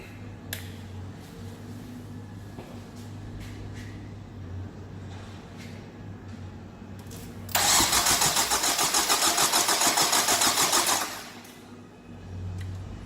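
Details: 2003 Nissan 2.5 after engine replacement, coils unplugged to build oil pressure on jump pack, battery sat a while: starter spins engine evenly at three to four beats a second for about three seconds without firing; normal dry cranking.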